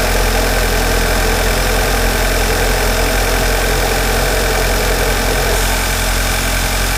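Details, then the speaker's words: MK6 Jetta GLI 2.0 turbo, cold start in the engine bay after replacing the cracked airbox and battery; steady, slightly gruff tractor-like idle with an even rhythm and no knocks or misses. Normal cold start idle. "It's a 2-liter turbo. It almost sounds like a tractor when it first starts up. But as you notice, it runs really good."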